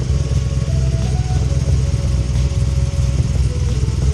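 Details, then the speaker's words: 2010 Camaro SS V8 (BTR Stage 4 cam, long-tube headers) idling with a deep steady burble and no misses or ticking, after replacing a blown header gasket and spark plugs to fix an exhaust leak and misfire. "god that sounds so much better jesus wow that sounds way better"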